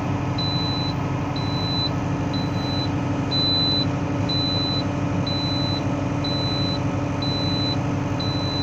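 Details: Valtra BM 110 tractor idling, with a high, sharp beep about once a second repeating steadily; the transmission oil warning alarm.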